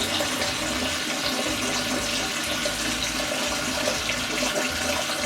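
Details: Kohler toilet with a canister flush valve after replacing the leaking canister gasket seal. Water rushes out and refills in a steady, even gush with no hiss or trickle afterward. Normal flush after repair.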